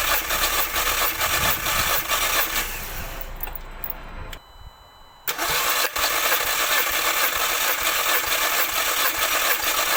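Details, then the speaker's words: MK2 Audi TT with cylinder 1 misfire (P0301), compression test cranking with fuel pump relay removed: steady, even cranking about two beats per second, no uneven drag; equal compression, all four cylinders reading about 100 against roughly 150 thought to be expected. "So that's telling me we've got equal pressure on all 4 cylinders."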